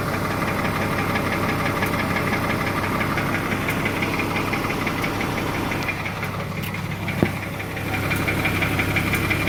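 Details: 2004 BMW 325Ci with M54 engine at idle: a fast, light tick about three per second from the top of the engine near the passenger side, first feared as rod knock. The general diagnosis is lifter/carrier noise; 15w50 oil almost eliminates it.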